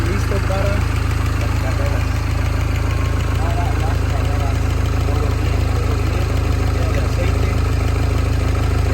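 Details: Mini Cooper S R56 after timing chain and tensioner replacement: steady, even idle with a smooth low drone and no rattle or ticking on top; engine idling evenly.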